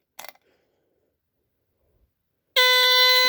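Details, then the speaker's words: Rare early Dicon 200 ionization smoke detector (no LED) tested again; silence for a couple of seconds, then a steady piercing alarm tone cuts in and holds, detector responding with slight delay. "It is delayed a little. Let me try that one more time. That sound is so soothing."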